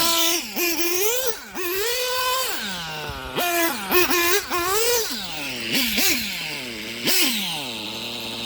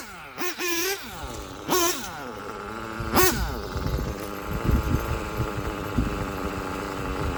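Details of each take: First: STS D21B nitro engine on Traxxas Top Fuel 33% nitro, torture test: high-pitched engine revving up and down cleanly with crisp throttle response; bottom end was slightly rich, brief pinging later suspected as detonation: normal high-rev running. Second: STS D21B Dragon nitro engine on Traxxas Top Fuel 33% nitro, after torture test: a few sharp revs then a lumpy uneven low putter, idle set too low and sounds about to stall; idle then raised.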